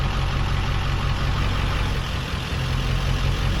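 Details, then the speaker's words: 2002 Ford F250 diesel in "stealth mode" with the idle stepped down from setting five to three: a deep, steady, slightly lowered idle rumble, even with no knocks or misses. Normal. "yeah you can use that on stealth mode which it kind of just lowers the idle a little bit"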